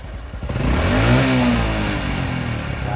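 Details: Honda Wave S110 motorcycle: revs climb, then after the throttle is released the engine stays high and sags back only slowly instead of dropping straight to idle.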